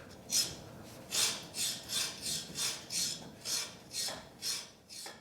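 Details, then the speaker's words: Husqvarna snowblower Tecumseh LH358SA engine, locked up six years, won't turn forward but turns backward by hand: about ten harsh scraping rasps, one with each turn by hand; compression present, source unclear, internal or external, electric start suspected. "doesn't sound good. Yeah, I almost wonder if it's the electric start. Yeah, there's definitely a lot of noise coming from the engine. I just can't tell if it's internal or external."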